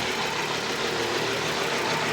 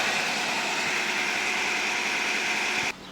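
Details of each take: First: 1997 Nissan Almera/Pulsar N15, GA14DE, about 162k km, first start after sitting about 9 years: rough, lumpy idle running on only two or three cylinders, attributed to fouled spark plugs. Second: 1997 Nissan Almera/Pulsar N15, 1.4 GA14DE, about 162k km, first start after roughly nine years sitting with a faulty fuel pump: a steady, even idle on all four cylinders with no stumble, with a coolant leak still present.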